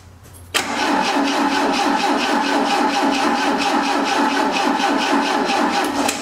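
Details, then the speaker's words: 1980 Triumph TR7, 2.0 slant-four with dual carburetors, sitting seven years: starter churns about two turns a second but engine never fires; owner suspects a kill or safety switch, plans to check spark at plug wire. "I don't know if there's some kind of kill switch in there so I guess we're gonna have to pull the spark plug wire let's see if we got any fire over there"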